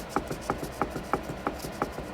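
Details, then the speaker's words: 1971 Toyota Celica TA22 rear diff, which had a whine and clunk, pinion rocked by hand: sharp regular clacks about three a second; excessive pinion play, owner attributes it to a shrunken crush washer and gear adjustment, teeth in good shape. "the good news is it looks a lot better than I thought it would um the teeth are in great shape but the only thing is that as you can hear and see there's a lot of play so"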